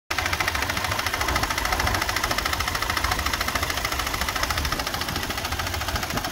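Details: 2004 Toyota Sequoia V8 idling, weeks after timing belt and water pump replacement: fast, fairly regular rattle about three to four a second from fan area; cause not confirmed.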